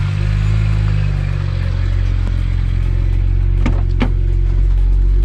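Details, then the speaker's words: BMW 1M E82, test drive heard from inside, pulls to about 5,000 rpm: deep steady drone building under load, then two short sharp whooshes as throttle lifts; turbo and valve sound healthy. "not sure if you guys can hear from the inside but everything that's pretty darn good"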